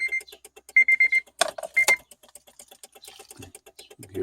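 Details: Honda Element, key in ignition, no start: fast light relay ticking behind the dash cluster with a chime, key icon flashing, from a loose or dirty cluster connector; worse in cold weather.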